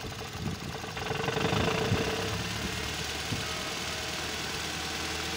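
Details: 2010 Nissan Sentra manual transmission, clutch pressed and released at light throttle: loose metallic chattering rattle under the engine note from a damaged dual-mass flywheel.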